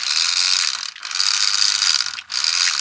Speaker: I don't know if you could hear it there is actually a clicking going on there so say there is a broken gear